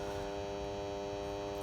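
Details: Main 3-phase 400 V changeover contactor giving a steady, loud raspy mains buzz; possibly dirt inside (suspected), temporarily swapped with the backup generator contactor.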